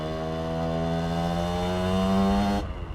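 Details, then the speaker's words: 2003 Aprilia RX50 two-stroke taken to 85cc, fat pipe, stock ignition, after jetting changes and raising the carb needle: crisp steady buzz rising smoothly and backing off with clean pickup, no bogging or stutter; running much better. "Oh yes. Oh, it's so much better now."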